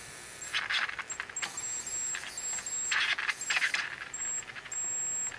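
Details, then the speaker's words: Mid-1950s Canadian GE 17-inch black-and-white TV: sharp snapping crackles over a faint whistle. After tying all the grounds to a common chassis point, the missing oscillation is fixed and high voltage returns strong at about 14 kV, which is healthy. "Oh yeah, a lot more high voltage. About 14 kilovolts. That's healthy."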